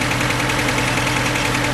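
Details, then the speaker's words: 2006 Mercedes A150 (W169) petrol idling unevenly with a rhythmic stumble: cylinder 4 misfires despite good compression and spark, caused by an open circuit in the injector 4 wiring and fixed by bypassing the wiring. "still misfiring."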